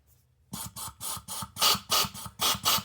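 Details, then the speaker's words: MAC AH650 air hammer restored after 20 years in a shed (new O-rings, trigger mechanism, air inlet valve), running at just 40 psi: crisp rapid hissing snaps, three or four per second, no leaks; operating normally. "Just 40 psi. Okay, the air valve is working. Okay, at 40 psi it's already snapping."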